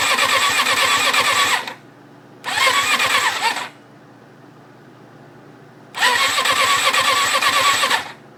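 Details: 1994 RF600 with a freshly rebuilt engine, fed by a fuel line straight into a reservoir, clutch engaged: three even cranking bursts that never fire despite spark and a working fuel pump; the owner suspects a rebuild error.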